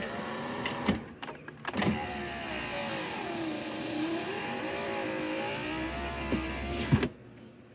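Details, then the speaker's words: Car with a replacement door: the power window motor's whirr sags in pitch midway through travel, then recovers near the end, with the engine running. It is labouring in the middle, cause suspected but not confirmed. "it works I mean it kind of struggles right here in the middle and I have reason to believe it has something to do with this"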